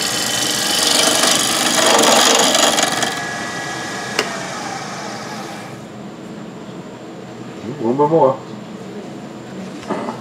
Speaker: Gets rounder, you hear the noise stopping, the chatter stops.